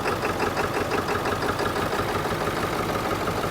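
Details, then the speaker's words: 1997 Ford F350 7.3 diesel just restarted after water got into the fuel: steady idle with a light uneven patter settling toward an even beat, roughness fading; owner hopes it's clearing the remaining water, and the front tank still holds water. "oh she sounds rough she's running [Applause] well I hope that cleans up I'm hopeful it's just getting the rest of the uh water out of the system"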